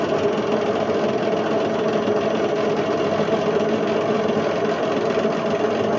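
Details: Indesit IWC71453 7 kg washing machine on a test spin aiming for 1400 rpm: steady coarse gritty roar while the drum spins; drum bearings completely gone, drum eating into the plastic tub.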